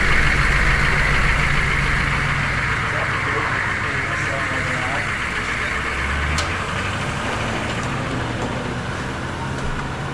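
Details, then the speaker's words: Humvee rolling forward in high range after repair: steady engine drone and even drivetrain rumble with no grinding or clunking. Before, it would just grind; now it sounds much better. "Way better than it was. Yeah, it is. It would just grind before, so I think I'm taking that as a win."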